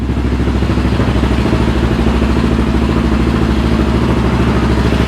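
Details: Yamaha Raptor 700R after engine rebuild, first start with FMF pipe: very loud, hard single-cylinder thumping with rough clattery pulses at idle and crackling exhaust, popping and uneven.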